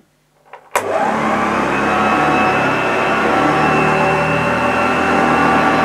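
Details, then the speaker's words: Unused 1975 Hoover Junior 1346A upright vacuum cleaning carpet with old belt: steady, even motor hum with soft brushing hiss; a lovely vintage sound, running healthy though struggling slightly, owner thinks not the motor's fault and new genuine belts would help. "well I'm pretty impressed with this Hoover Junior it's got a lovely vintage sound"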